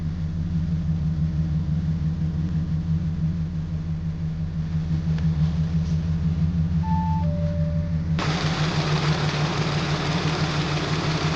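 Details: Audi A7 petrol engine idling low with an uneven, loping pulse of about three beats a second: cylinder 6 misfire detected (P0306, 7123) and cylinder disabling (P130A, 7948).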